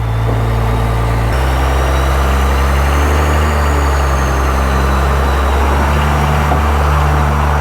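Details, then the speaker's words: Cummins-swapped Ford truck idling after injector bleeding; deep even diesel rumble, purring smoothly with no knocks or misses; normal idle. "Shifted nice there though, It eh? does shift way nicer. Oh, listen to that purring."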